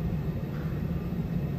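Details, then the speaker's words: Temperzone OPA 550 package unit after replacing two burnt UC8 control boards; deep steady even rumble from indoor fan blower motor, no knocks or rubbing; normal blower operation. "you can hear the fan motor indoor fan blower blower what the that indoor fan motor running"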